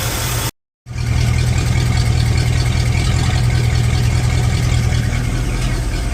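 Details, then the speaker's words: Chevy carbureted engine after fixing air leaking into the fuel line between tank and carburetor: settles into a steady, even low idle with no stumbles or hunting; normal idle. "okay she's running fantastically listen to this [Music] so there's no way getting in the airlines anymore fantastic problem soul"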